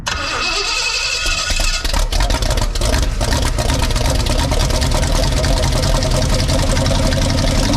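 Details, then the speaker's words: Cadillac V8 in a farmer-built airboat, previously seized, first runs warming up: rough, loud, uneven idle as if one or two cylinders drop out intermittently; misfires, owner hopes new plugs will fix it. "it sounds like one or two missing cylinders but maybe they're coming back to life and uh just a few misfires maybe the plugs will take care of that"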